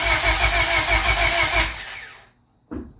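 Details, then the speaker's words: eBay turbo Honda Civic, first crank after the build with the fuel pump fuse pulled and the distributor unplugged, cranked only to prime oil and check for leaks: steady, even, strong cranking at about three turns per second, then quiet; healthy starter. "we're just trying to crank it to prime the engine and get some oil through and check for any leaks first here goes nothing"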